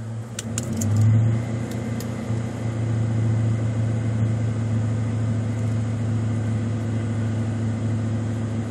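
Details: 1995 Ford Mustang GT V8, OBD1 key-on-engine-running self-test with the EEC self-test jumpered: after start settles into a raised, steady, smooth drone with no knocks, RPM held high for two to three minutes while codes output; normal elevated idle.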